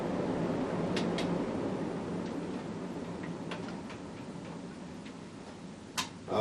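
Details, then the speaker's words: Casablanca Panama 5-blade ceiling fan, probably late 1990s, running after the bearings were oiled: soft steady hum with scattered light ticks as it spins; the oil did not help, so the motor bearings are worn and need replacing. "now you can hear them again surprising the bearings are in bad shape given how nice condition of Panda is and the fact that it's a newer one"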